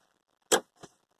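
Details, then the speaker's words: Car that overheated and then made a loud rattling noise gives one sharp click then a fainter one on key turn with no cranking; accessories work but the clock resets on each attempt, cause unknown. "Wow click and nothing everything goes doing doesn't come back"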